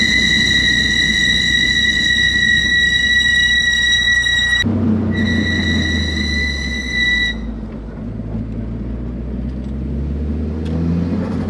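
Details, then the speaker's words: 2G Mitsubishi Eclipse GSX Brembo brakes after swapping Hawk metallic pads for StopTech PosiQuiet semi-metallic pads: hard stop on hot brakes with only road and tyre rumble, no squeal; normal braking. "crazy under hard braking there's no noise don't mind me i know i don't have my seatbelt on but i'm right down the road but look at that no noise"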